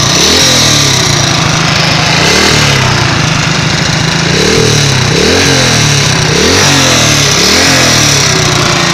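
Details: Loud, uneven engine rising and falling with revs, a rough tapping through it at about four per second; engine knock of unknown cause.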